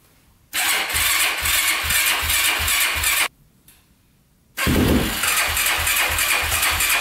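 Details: 2005 Yamaha YFZ450 big-bore single after rebuild, carburetor refitted with fuel screw set two turns out (owner suspects a clogged pilot jet): rattles into life and holds a quick, even idle without stalling as before; pipe starting to turn red.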